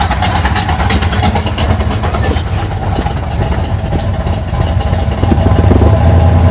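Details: 1980 Sierra C15, junkyard L31 Vortec 350 (130k-mile pistons/rods, 9.5:1), Summit K1107 .488/.510 lift cam, Performer RPM intake, 600 Holley, Flowtech headers, Thrush turbo mufflers; cold idle: choppy, uneven lope about three pulses a second with a few revs from large cam; mic clipping.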